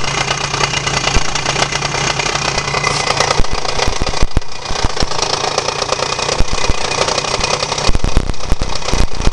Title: Хонда Дио 27 стучит мотор